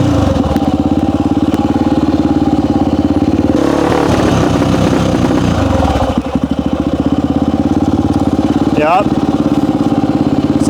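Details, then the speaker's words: 1998 Honda XR400 single, worn backup bike being prepped for desert racing, first run: pulls up through revs with an uneven stumbling beat midway, then settles to steady idle; owner suspects too lean on main jet, jetting to be checked. "like to me right when it wants to get on the main jet it's not getting enough gas but yeah really lean"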